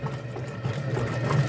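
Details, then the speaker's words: General Electric washer during the wash cycle, with its tub wrongly turning while washing. A low steady hum with a faint whirr on top sits under the washing action. The technician says it could be the motor or the bearing, most likely the motor. "Ahora hay que esperar que haga el exprimido que drene el agua y que haga el exprimido por ahí alcanzamos a oír el zumbido"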